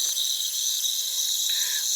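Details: Central AC unit: continuous high, airy hiss from the coil under the cover, refrigerant escaping under pressure; leak found at distributor tube sitting in water, system low on freon.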